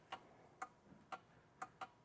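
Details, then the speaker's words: 2018 Audi Q5 2.0L with P0299, scan-tool actuator test of turbo recirculation valve solenoid: sharp, light clicks every half second or so; solenoid switching, wiring good. "So, that's good. This tells me that the wiring of that solenoid is good."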